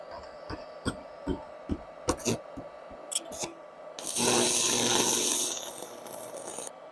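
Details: Faiuot 110V handheld IGBT inverter stick welder with 6 variable current settings, ground clamped, welding rod on metal; a few sharp ticks then about 2.5 seconds of dense steady crackling hiss as arc strikes and holds; welder working normally.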